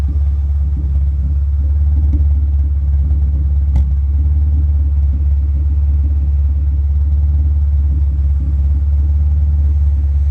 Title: Misfire at idle